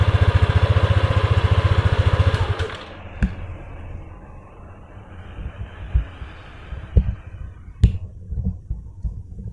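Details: Yamaha Aerox scooter after fitting brackets that widen the number plate's gap: engine pulses evenly then quietens; no buzzing or rattle from the plate after the fix.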